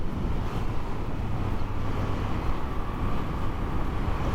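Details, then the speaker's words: 2017 Moto Guzzi V7, first ride after repairing damage, no warning lights, stock OEM exhaust that the owner feels is a little corked up: steady deep V-twin drone under wind rush, smooth with no knocks or misfires. "I still feel like the exhaust is a little corked up because it's an oem stock exhaust system"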